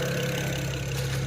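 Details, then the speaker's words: BMW 335i E92 twin-turbo, first start after engine reinstall: steady idle with faint recurring stumble, owner hears a bit of a miss; scan shows no codes, oil 147, coolant 180; cause unconfirmed. "all right she's idling she's it sounds like she has a bit of a miss there i was gonna say now it's not gonna do it but"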